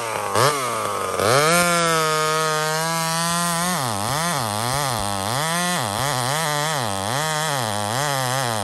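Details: Homelite chainsaw, 28 full-house stock chain, cutting wood: two-stroke screaming at high revs, pitch dipping and recovering steadily with each cut, pulling clean and strong; normal running under load.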